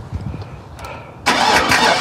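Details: 2002 Chevy Tahoe with a no-crank fault (dash lights on, starter not engaging): after jumping starter relay terminals 30 and 87, a short quiet spell, then the engine catches at once and settles into a steady idle; normal crank and start.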